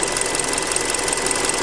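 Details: Hyundai Creta at 40,000 km. Fast, even ticking clatter over a steady idle with a faint high whine; owner found it noisier than on the factory oil. Cause unclear.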